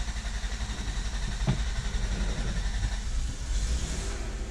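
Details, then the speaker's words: 2000 Dodge Caravan with dash lights on but no crank at the start position: the starter cranks the engine over in an uneven low churn only while the key is wiggled. The cause is a faulty ignition switch. "And just like that, I knew that the issue was in the ignition switch."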